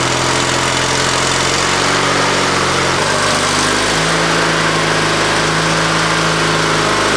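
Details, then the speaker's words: Used lawnmower engine on an old Ariens walk-behind after head bolt work and new top, choke on, throttle up, fuel of unknown quality: single-cylinder runs steady and strong, speed drops at about three seconds then settles at lower revs; runs well, may have run out of fuel. "Well, it ran good. Runs really good. Trying to get it to idle there at the last little bit, but I think it'll work just fine for what we need it."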